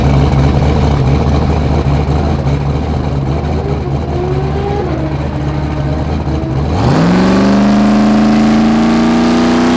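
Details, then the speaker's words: 2000 hp Z06 street Corvette with a Z06 engine and turbo, first passes at the track: steady engine drone, then a clean whistle sweeping up in pitch as the throttle opens, boost estimated around 22 psi, normal turbo spool-up. "that turbo started like like the noise that makes that mid track it was doing it right i bet it made 22 pounds i could just hear it"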